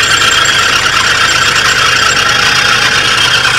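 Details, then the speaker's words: 1983 Oldsmobile Delta 88 Royale at idle: steady high squeal from the front belt drive, owner suspects the alternator pulley; spraying it did not stop the noise; pulleys seem quieter while driving with doors closed. "well it starts up immediately now and at least idle sounds like it might be the alternator kind of problem what if I can't spray some uh TV down there and make that noise go away"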